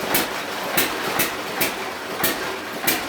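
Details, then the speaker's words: Hit and miss engine on a dyno, unloaded to lighter load after removing the front three: sharp firing bangs come unevenly about every half second with coasting gaps, fewer hits and more misses; normal hit and miss operation under light load. "I have taken the front three bugs off we're back to a lighter load notice how less the hips are now and more than missions are"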